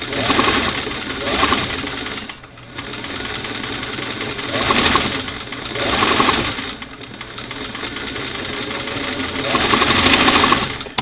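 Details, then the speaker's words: Singer sewing machine on restored clam-shell foot pedal, reassembled with screw fully in: motor surges from slow whir straight to fast buzz with no middle range, touchy pedal; uneven speed control, needs readjusting. "to want to go from slow to fast mostly"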